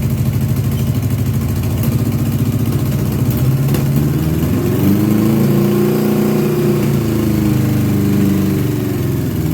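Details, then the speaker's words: 1982 Honda GL1100 Goldwing first start after sitting 3 years: lumpy uneven idle running on three cylinders, with one cutting in and out before it dies; misfire, cause not confirmed. "you could hear it's like not running on all four cylinders and then one kind of kicks in and it runs a little better and then it died out."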